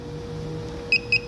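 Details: Car alarm module after replacing the failed current-amplifier integrated circuit that drives central locking: two short clean high beeps then brief chirp as it locks and unlocks; repaired and working perfectly.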